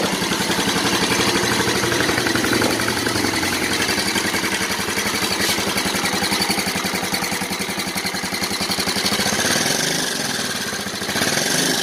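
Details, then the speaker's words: Yamaha Mio Soul scooter at idle before teardown: harsh, rattly running with a fast, fairly steady clatter; engine very noisy and also burning oil and smoking; cause not yet found. "nah seperti itulah bunyi mesinnya ya teman-teman untuk pemula wajib tahu dan simak videonya ya teman-teman"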